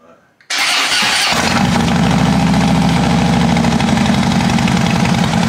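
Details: 2012 Harley-Davidson Dyna Switchback FLD after new battery and oil service: brief crank, catches at once and settles into a loose, loping V-twin idle; normal start and idle.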